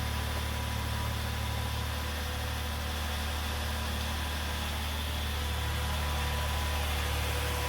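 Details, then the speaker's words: 2009 Chevrolet Impala 3.5 V6, a salvage-auction car, at idle just after first start with a battery check: steady, even low drone with no ticks or stumbles; runs good. "Yeah, she runs good too."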